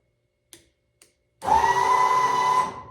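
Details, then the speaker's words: Bucket truck, freshly wired electric emergency hydraulic pump with ignition on and switch engaged: two switch clicks then steady even pump hum, pumping fluid. Normal hydraulic pump operation. "of course the electric pump is not made for swinging around picking up and all that it's made made to maybe rotate get you off something and get you on the ground but uh she's pumping fluid"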